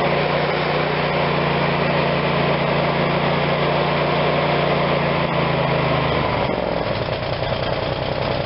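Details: Craftsman YS4500 tractor, Briggs & Stratton 22hp OHV Intek twin, after full carburetor cleaning and reassembly: smooth steady drone at high speed, pitch falling evenly as throttle comes back, no hunting; normal running without choke.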